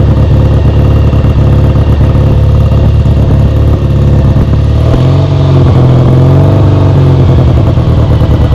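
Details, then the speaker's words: Kawasaki W1 twin, first start after restoration, carb being set up: lumpy uneven idle, the note drops and wavers halfway through, won't settle off choke; owner suspects a vacuum leak or a too-small pilot jet. "okay it does not seem to want to come off choke I know that the idle circuit is clear cuz I can see right through it so either there's a vacuum leak or the pilot Jet's too small"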